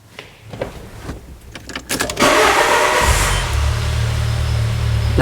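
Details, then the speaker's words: 2000 Peugeot Partner brought in with a crank no-start and stalling, with the old crankshaft position sensor reinstalled: a few seconds of starter churning, then it catches cleanly into a steady idle. The suspected bad sensor likely fails only when hot. "come on can you believe that it starts right up"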